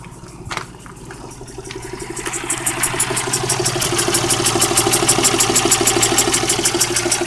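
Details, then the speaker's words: Geo Metro with used 1994 replacement engine, about 208,000 miles, now hissing and knocking; sharp even ticking knock about three times a second over a rough idle, growing louder, lower-end knock suspected, cause unconfirmed. "but now in three years later it does it's starting to hiss and knock i don't know if you guys can hear that"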